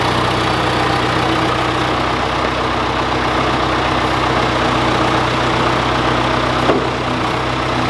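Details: John Deere 410C backhoe diesel in winter cold, idling after start: a steady, smooth low rumble with no knocking or hunting; healthy idle.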